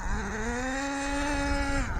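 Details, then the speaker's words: ACME Condor nitro RC car on its maiden run after rebuild, low on fuel and not very hot: steady high buzz creeping up then dropping away with a soft, blubbery note and smoke; running rich, though better. "Still smoke and rich. It's better"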